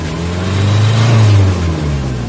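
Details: Nissan Vanette with 5W40 oil, after XADO engine treatment to fix throttle delay and low power: clean rise and fall of revs with no stumbling or hesitation, strong from 1,500–1,800 rpm; the earlier vapor-like running is gone and there is no smoke.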